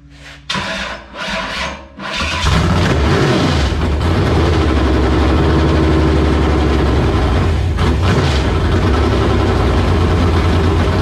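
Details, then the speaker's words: LQ9 V8 with Texas Speed MS4 cam on run stand, Holley Terminator X base tune, first start after long sitting: catches to loud lumpy steady idle, running rich with heavy fuel (not oil) smoke; owner blames long sitting. "it looks like it's smoking a lot that's fuel smoke that's not oil smoke"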